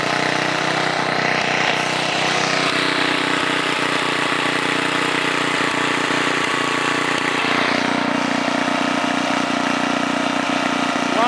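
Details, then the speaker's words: 1978 John Deere Tecumseh HM80 8 hp 318cc single-cylinder snowblower engine, fresh oil and gas, range about 1700–3600 rpm, at about half throttle: steady, even mid-speed drone, no misses, knocks or surging. Normal running. "about half throttle right there"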